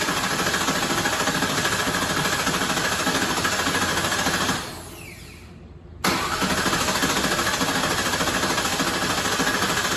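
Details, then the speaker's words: 2004 Ford Mustang GT 4.6 V8 being revived, rebuilt starter cranking the engine strongly and evenly at about three beats a second without firing, serpentine belt and power steering pump off, crankshaft sensor still unplugged; normal starter cranking. "that rebuilt starter sounds pretty good all right guys I'm gonna pause it for a minute so I can get under there"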